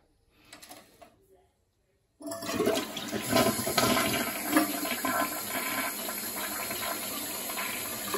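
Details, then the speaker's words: Toilet test flush after the fill/float valve was replaced, having been making a weird noise and raising the water bill: clean rushing flush, then a steady refill hiss that stops with no squeal or whistle. Valve now fills normally. "okay that water was already there so we're just gonna wait for that to fill up and we're gonna do a test flush there you go it stopped and it's not squealing"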